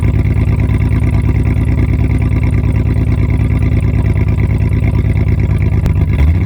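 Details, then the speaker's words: 2004 Jeep Liberty 3.7L during muffler and tailpipe replacement, run with the muffler removed; deep, raw, booming idle with hard rapid pulses, no muffling: loud open exhaust. "So now I'll just have to go and pick it up. But I just want to hear what it sounds like with no muffler."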